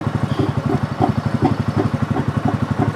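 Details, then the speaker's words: 2024 Kawasaki Mule at idle: rhythmic bubbling gurgle about three times a second, seeming to come from under the dashboard. The owner first suspected low coolant; the cause is overfilled oil drawn into the breather, with oil found in the air box. "Does your Kawasaki Mule sound like this? It's coming like from under the dashboard. At first I thought it was low coolant or something like that, but actually, let me show you what it is."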